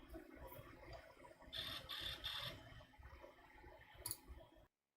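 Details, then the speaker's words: Apple Power Macintosh 7100 failing spinning mechanical hard drive, picked up by the webcam microphone: quiet hum, then repeating clusters of fast clicking with a high chirp, like a dying drive retrying its seeks; on retro computers it's the first thing to go. "and yeah that's the thing the hard drive is clearly shocked right and I think that we all know uh on retro computers that's really the first thing it's going to go"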